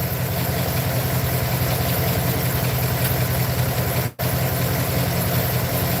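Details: Truck idling low with an uneven, stumbling pulse about two to three beats a second. Owner feels it got worse and plans to pull and check all the spark plugs. Misfire at idle.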